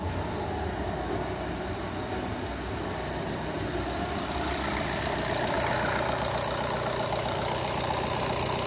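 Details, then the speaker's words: VW Golf Mk7 2.0 TDI CLH (EA288) diesel, first start after replacing the factory-defective timing belt tensioner roller that caused squealing: steady, even idle with a smooth clatter and no squeal, sounding healthy. "Widać, że jest w porządku. Nie ma już żadnych dziwnych dźwięków. Chodzi tak, jak powinno chodzić."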